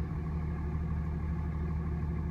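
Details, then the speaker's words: 2007 Dodge 2500 5.9L 24V Cummins at idle during injector kill test with scan tool: disabling injector six roughens the steady diesel idle and changes the graph, so injector six works; injector five showed no change, failed. "and you can watch the graph change. So that means injector number six is working."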